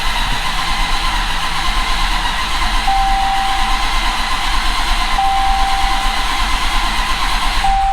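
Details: Dodge Challenger Hellcat with a freshly reassembled, fully built 1500hp 6.2L supercharged Hemi (MMX); a strong, even starter churn at nearly three beats a second, cranking without firing to build oil pressure after earlier starter trouble.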